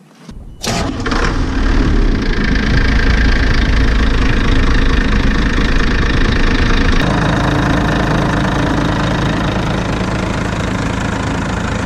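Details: 1987 Ford F800 dump truck diesel started after fan bolts checked and fan bearings replaced (belt squeal and stall from a seized accessory before): cranks and catches quickly, settles into a loud, steady low rumble with even firing, no knocks or squeals; normal running.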